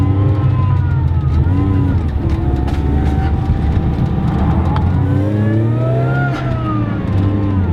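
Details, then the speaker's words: Car with a new supercharger setup and relocated throttle body on a test drive under boost; wavering whoosh and chatter as the throttle lifts is compressor surge because the blow-off valve was installed incorrectly and not venting. "that noise we were hearing was a compressor surge which is very bad not good for your supercharger / turbo charger"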